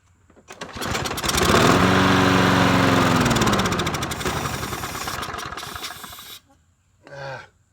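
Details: TroyBilt 21-inch mower with 190cc engine fires and revs, then sags and surges unevenly for a few seconds before dying, air filter off, carb spray used; rough running, carburetor fouling suspected, not confirmed.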